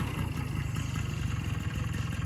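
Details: 1983 Honda PA50ii moped two-stroke, first start in three years after a CDI ground fix: steady, quiet, even low putter at idle with no misses, knocks or hunting; normal idle.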